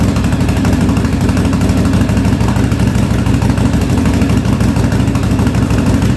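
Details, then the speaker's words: 1983 Yamaha Virago 920 barn find, after replacing a dead rear-cylinder spark plug: lumpy, irregular idle with intermittent misfire; front cylinder kicking in and out, owner suspects fuel or another failing plug; gas leaking, needs tune-up. "I don't know if it's the fuel or what but it's the front cylinder is kicking in and out there a little bit"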